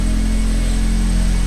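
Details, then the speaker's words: Acura RSX Type-S with Invidia Q300 cat-back exhaust, after fixing its rattle: steady low idle drone with an even, smooth exhaust note and no metallic rattle. "let's go turn the car on see what it sounds like yeah sounds a lot better"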